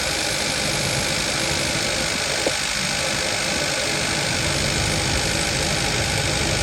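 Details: 2015 Kia Forte 1.6 GDI with multiple misfire codes, rough uneven idle with faint irregular stumble; engine tune doesn't change with coil 3 connector unplugged, indicating a failed cylinder 3 ignition coil.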